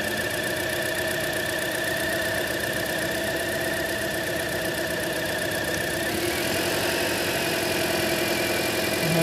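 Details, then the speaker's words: 2010 Toyota Corolla 1.8 with code P0301, ignition coils unplugged one at a time at idle: the rough idle shifts pitch when a coil is pulled, showing that cylinder fires and its coil is good; cylinder 1 showed no change, so its coil is bad. "so as you saw there as I unplugged the number one ignition coil there was no change in the sound or their note of the engine no change in the RPMs"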